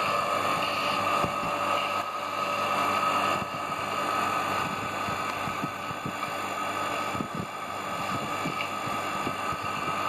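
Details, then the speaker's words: Half-HP peripheral electric water pump running after disassembly and repair of its bearing noise: steady, even hum and a clean high tone, without grinding or rattle; normal. "Bueno ahí como ven ya no hace ruido aquel espectacular"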